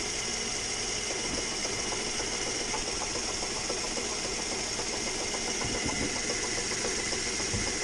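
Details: 2011 Mazda 3 2.0L idling, heard in the engine bay: irregular light knocks under two per second over hiss, traced to the air conditioning compressor rather than the engine.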